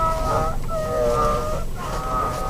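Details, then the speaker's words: 2012 Nissan X-Trail T30, about 65,000 km: wavering squealing howl under hard steering wheel turning, from the steering shaft rubbing dry in its rubber seal where it enters the engine bay; fixed by cleaning and greasing the shaft and seal with Litol-24. "при интенсивном вращении руля вот такой вот вой можно его так назвать вот там идет вал кардан между значит когда входит в моторный отсек есть резиновая прокладка"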